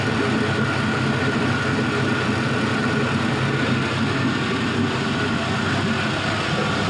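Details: 5.3L Gen 3 LM7 LS V8 with 180k miles idling on an engine stand about warmed up, about 94 degrees, with roughly 40 psi oil pressure. Smooth, even low rumble with no ticks, knocks or misses. Normal, healthy warm idle.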